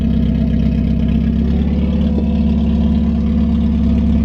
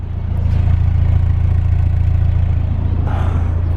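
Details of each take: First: 1991 Mazda Miata 1.6 with replacement aftermarket headers, downpipe not connected to the catalytic converter (gap, needs welding and extending): loud, deep, open rumble at steady idle. Exhaust leak. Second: 1991 Mazda Miata 1.6L warm idle after cold start, with new cheap aftermarket headers replacing cracked stock headers that leaked exhaust, stock intake; engine bay and exhaust sound: quiet, even low rumble, no ticking or exhaust puffing, healthy.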